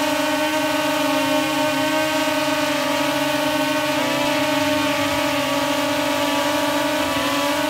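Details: DJI Mavic Air hovering after swapping stock for Master Airscrew stealth propellers of equal weight: even steady drone, low hum and stacked tones with no pitch wobble; much quieter and lower pitched than stock, though slight shaking noticed.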